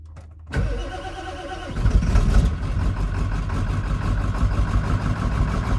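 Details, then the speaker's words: Diesel with dual batteries freshly charged one at a time, glow plugs warmed: brisk, even cranking then a steady run, starting much better; fuel bowl suspected of leaking, losing prime. "Makes over so much better with a full charge battery, though."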